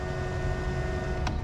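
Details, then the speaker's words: BMW N54 single-turbo with misfires and BSD fault, engine off: electric water pump randomly primes about every minute for about two seconds, even untouched or when a door opens; steady hum with low rumble. "domly primes the fuel pump sorry the water pump about every minute and it'll prime for about two seconds that's even when no one's touching the car if you open a door it primes the water pump"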